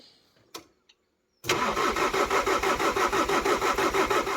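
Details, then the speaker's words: VW Amarok diesel start after cracked cylinder head replacement, injectors refitted, battery charged overnight: silence, then quick catch into even, steady idle pulsing about three times a second, no dash warning lights; normal start and idle. "has your lights on the dash nothing none it sounds like it's running fine"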